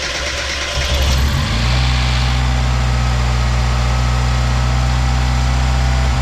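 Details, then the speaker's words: 1993 Mazda Miata 1.6L turbo, first start after installing CX Racing V2 turbo manifold to replace cracked leaking manifold, bigger muffler; catches after brief crank, steady even low idle, much quieter, no major exhaust leaks; normal idle. "Much quieter with this exhaust, but also the muffler is bigger than what it had before. No major exhaust leaks, so that's good."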